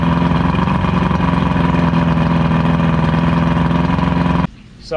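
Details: Evinrude V4 crossflow outboard with a firm, even, smooth idle and no stumbling after throttle cam follower roller replacement and link-and-sync, timing about 6° BTDC; no exhaust back pressure, so not a true comparison.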